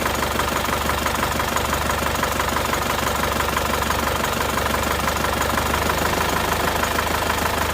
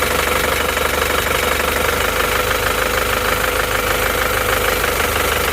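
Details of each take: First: Isuzu Panther diesel, rough and shaking at idle from cold start until hot: the idle beat is uneven and lumpy, and cracking the number one injector line changes nothing, so cylinder one isn't firing. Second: Isuzu Panther diesel after repair of a cracked, broken nozzle spring and equalizing all injector pressures: steady even idle clatter, no lurching or dropped strokes, cylinder 1 now pulling; normal idle, though worn nozzles still spray unevenly.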